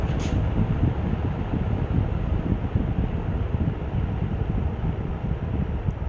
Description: Sears Kenmore 20" box fan on roll about stand. This fan was made by Vernco in the late 60's.